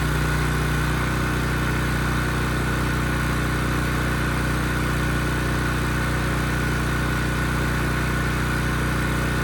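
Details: Ridgid generator, Yamaha MZ360 engine, about 10 years old and idle 4 years, after rusted tank and carburetor repair. Under a 3,000 W load it gives a steady, even drone at constant speed (60 Hz) with no hunting, misses or knocks: healthy.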